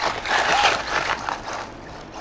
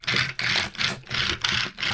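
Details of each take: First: Arrma Mojave Grom RC car, drivetrain slipping after bashing (pinion chewed from motor coming loose): quick uneven ratcheting clicks about three a second; teardown shows the diff spider gears totally stripped. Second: Arrma Mojave Grom RC car after the stripped diff was replaced with a spare: motor whirs up in short even bursts about three a second, smooth, no clicking or grinding; drivetrain operating normally.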